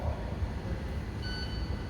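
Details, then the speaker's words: International ProStar truck with Cummins diesel idling while the throttle pedal position sensor harness is wiggled: steady diesel rumble, then dash beeping as code 131 sets, meter reads 5 volts, confirming an intermittent open circuit causing throttle loss and derate. "5 volts so definitely an open circuit and right here is where I'm wiggling right in here and you can actually hear the code show up in the dash by that beeping"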